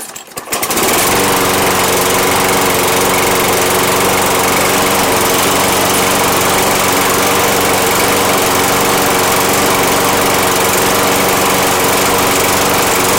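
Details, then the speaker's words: Toro Recycler mower with Kohler engine that ran and died after one strip: after carburetor cleaning and fresh gas, intake gasket left out, catches and runs at a steady high buzz, no surging or dying; carburetor was the issue. "but like I said now me no carburetor was the issue fresh gas good to go"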